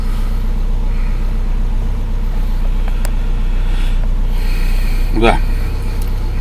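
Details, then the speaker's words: Samand with hunting idle, stalling and hard starting, after replacing the idle air control valve: starts at about 1,500 rpm falling to about 1,000, then low steady idle without surging or dying; normal idle. "как ни странно регулятор за 319 рублей работает но значит регулятор установлен машина с ним завелась нормально"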